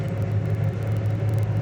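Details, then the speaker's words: Restored 1967 Chevrolet Chevelle SS, 396 four-barrel replacement block, 4-speed, dual exhaust, at idle: deep, steady low rumble with even beat, no ticks, rattles or misses; tight, not squeaky or rattly, idle beautiful. "It's just one of those tight cars, you know? It's not squeaky, rattly, idle's beautiful."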